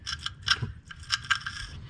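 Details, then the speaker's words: 2011 Chevy Cruze wheel bearing, howling while driven and turned by hand after removal: gritty, crunchy scraping bursts from rust and debris inside the dust cap. "Oh, that's so crunchy. Oh, it's so crunchy."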